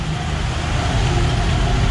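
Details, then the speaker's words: 1966 Ford Bronco, sat about 15 years, with new fuel pump, coil and distributor, just started and warming, idles slightly high with a heavy, lumpy uneven beat; owner suspects a piston issue, possibly needing new motor; low compression misfire. "it doesn't sound quite right i'm quite happy but you know she's doing something we're getting a little closer"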